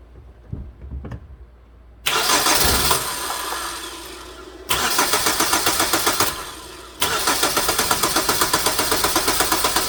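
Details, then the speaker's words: 2009 Hyundai Sonata, towed in with a crank/no-start despite decent compression, and it won't fire even on propane. Steady cranking at about four beats a second with even compression pulses but no firing. "i tried running it on propane and it won't fire so it's acting like a mechanical issue i wonder if there's an easy way to control or verify the cam timing is right"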